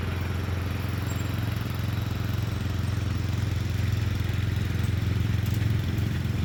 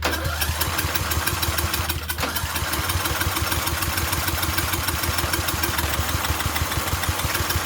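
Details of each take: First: Murray Select 30-inch riding mower being fixed up, mowing on a slight incline with an unsharpened blade: steady low engine drone holding an even beat, pulling through the load without stumbling; cut decently, runs normally under load. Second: Murray Select 30-inch riding mower being revived, fuel tap leaking: fast starter chugging about three beats a second for ten seconds with no firing; cranks but won't start, owner suspects a safety plate not being down.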